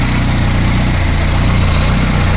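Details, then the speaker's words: Peugeot 205 freshly rebuilt engine, first start with ignition timing set only by eye: low, lumpy idle with an uneven beat underneath; rough running from untimed ignition. "l'allumage est calée au vif et le rien n'est rien n'est calé il a démarré on sent que t'es pas bien"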